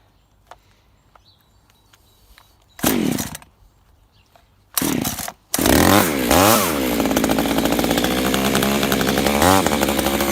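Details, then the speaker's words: Echo CS3400 top-handle climbing chainsaw, possibly from 2000, with a semi-chisel chain, set up outside to cut a log: quiet, then short bursts before it catches and holds a crisp high rev with clean throttle sweeps; runs right. "i said we tried to get set up outside and see if we can cut a log i did start it up and just let it run for a while"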